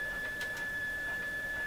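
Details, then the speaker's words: Mohawk Serenader farm radio being checked for reception: a signal generator feeds about 10 then 100 microvolts into the antenna wire. A clean, steady high test tone holds over faint hiss, so the radio receives normally. "Now, let's put a tone into the radio, so you can hear the tones. So it's working. The radio is working."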